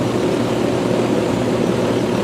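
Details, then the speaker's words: Rheem Classic central air condenser, first startup of 2022, unit baking in the sun with large heat load; steady fan whoosh over even compressor hum, no rattles, grinding or squeal, sounding as it always has; normal running. "It sounds now, while I didn't hear the startup, I'll hear in the video, but it sounds now how it always has."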